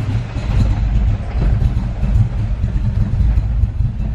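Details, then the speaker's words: Carbureted Ford Mustang SN95 at idle before carb idle air bleed adjustment: lumpy, stumbling low idle with uneven surging, barely running, puffing black smoke, air-fuel ratio about 10–11; rough, far too rich idle. "That sounds really bad. It's puffing black smoke out too, like it's really rich. Okay. Yeah, it's super rich right now."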